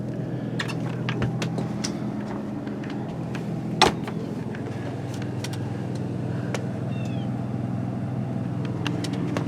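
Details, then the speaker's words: Newly installed Onan 5500 RV generator in a 1976 GMC Motorhome, heard outside near exhaust: low, steady, quiet hum at even speed, no surging or knocking; normal running. "come outside it's really quiet now i have the exhaust running coming out right there"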